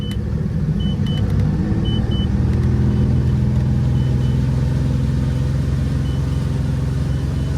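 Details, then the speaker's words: Volvo Penta 4.3 GXi fuel-injected V6 boat engine under load after a fuel pressure regulator cleaning: deep uneven drone that never climbs, with backfire and failure to plane. Owner suspects failed sound-shield foam blocking the intake. Bogging under load. "so I think I may have found the problem with this 4.3 fuel injected Volvo Penta was having a backfire and having a problem getting on plane"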